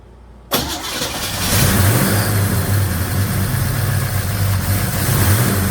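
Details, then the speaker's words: 1956 Chevy Bel Air 307 V8 with a hydraulic cam and previous lifters, restarted after adding an additive and refitting the valve covers: cranks, catches, then a raised idle with top-end clatter. Valve train still noisy; timing runs about 35–40°+, too advanced. "That valve train is still noisy for my liking."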